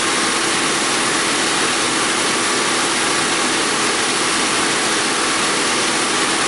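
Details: 2001 Audi A4 Quattro 2.8 L V6 after repairing a blown flex pipe leak upstream of the O2 sensor and adding a spacer on bank 1 sensor 2, revved then idling: smooth even hiss, no ticking or puffing; exhaust sealed, no leak.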